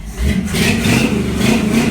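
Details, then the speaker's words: 1955 Chevy at first fire-up with new exhaust: a deep, even rumble rising smoothly with throttle, no rasp, blow or rattle; a normal exhaust note, though the throttle sticks because a return spring popped off. "That sounds so much better."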